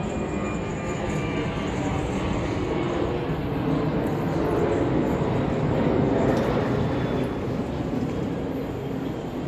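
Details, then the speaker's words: Samsung dryer after replacing flat-spotted drum support rollers and shafts (DC97-16782A): even rolling rumble and gentle tumbling with no heavy rhythmic thump; loud thumping fixed, will quieten further as new roller coating wears in. Normal operation. "then the dryer will begin to settle in and become and become quieter in this operation but the primary problemless allowed thumping sound which has been addressed"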